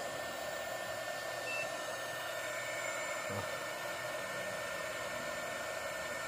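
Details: 300W modified sine wave inverter card running a heat gun after a reversed-polarity hookup was corrected: even fan rush with a faint steady high whine and no surging or cutting out. It draws less than the full 300W and runs normally.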